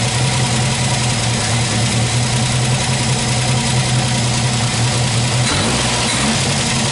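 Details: MGB special engine after tuning, idling: a steady, even low rumble with no misses or stumbles, settling into a smooth, regular idle.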